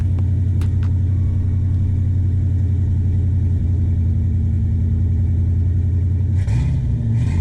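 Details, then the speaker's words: 1986 Ford Bronco, 5.0L 302 V8, just started somewhat cold: deep steady rumble with smooth idle and a couple of clean throttle blips near the end; healthy normal idle and revs. "A little, somewhat of a cold start. I don't know if you can hear that pretty well, but it sounds fantastic."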